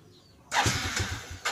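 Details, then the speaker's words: Yamaha Jupiter Z motorcycle with high fuel use, weak power and sputtering: starter cranks in a rough pulsing run for about a second and barely catches, very delayed response; hard starting from worn, dirty carburetor needle. "ini Brebek kita mau hidupin dulu ya dia merebet dan untuk respon staternya itu sangat delay sekali tuh dia kalau nggak dikasih yang ketiga nih"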